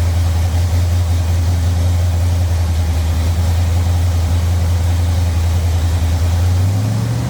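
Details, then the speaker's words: Ford Thunderbird Town Landau after 460 V8 swap with C6 transmission and custom motor mounts, run with good oil pressure, carb suspected high float: deep steady V8 burble, even firing, no knocks or ticks; normal idle. "Well, we got good oil pressure. Thing seems to be good. Hear any weird noises?"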